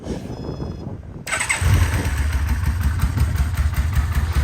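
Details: 2004 Yamaha VMAX with 4,400 km, after a full rebuild: engine catches at once and settles into a steady, even, deep idle with no misses; normal start and idle.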